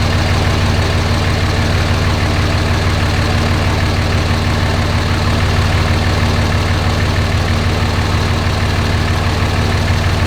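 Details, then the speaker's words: 2006 Dodge Ram Cummins 5.9 24v diesel after a loose valve bridge, with rocker arm assemblies and lash caps adjusted and injectors swapped: fires up a little smoky from old fuel into an even idle clatter, about three beats a second; the earlier ticking is gone. "well it's a little smoky from all that old fuel in it but it fires up and it sounds okay so i guess i'll take it for a little test drive i don't hear that same ticking that i heard the other day"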